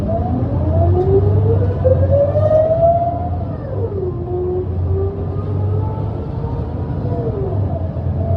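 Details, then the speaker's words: Adelaide Metro bus under way with a ZF Ecomat automatic transmission; loud gear whine rises with road speed, drops at each shift, then climbs again over the diesel drone; possibly amplified gearbox noise, not necessarily broken. "So instead of hearing a small mechanical whine, you hear the full roar of the ZF Ecomat transmission."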